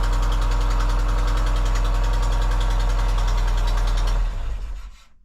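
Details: Engine at idle during repair, hunting for an exhaust leak: steady idle with a sharp, fast puffing tick on each pulse, about three per second, until shutdown; suggests an exhaust leak.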